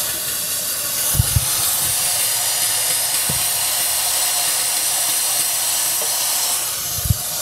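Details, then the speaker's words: 2007 Ford 6.0 L Powerstroke diesel that cranks but won't start. During an air test of the high-pressure oil system with the valve cover off, a loud steady hiss of escaping air shows a leak, with brief low handling thumps. "instance I heard a lot of hissing from the oil cap on this side so I went ahead and pulled the valve cover"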